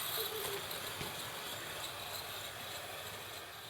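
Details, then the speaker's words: Hornby R2701 Intercity 125 Class 43 model train on DCC after oiling drive unit axles, shafts and gears: quiet repeating high squeak from unpowered dummy car wheels, suspected plastic brake shoes rubbing. Cause suspected, not confirmed. "it's now running a lot smoother, but there's a noticeable squeak from the dummy car unit."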